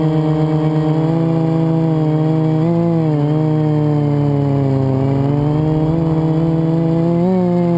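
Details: FPV quad flown with a bad motor bearing, before it was oiled and replaced with a spare; whining motor tones climb and dip with throttle, rough uneven edge through sweeps; quad twisted on full throttle; worn motor bearing.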